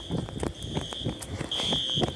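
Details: False fire alarm at Briggs Village Apartments in Olympia, WA, on System Sensor horn strobes: repeating shrill horn blasts over footsteps and handling. The system was tripped by a heat detector problem, not by a fire.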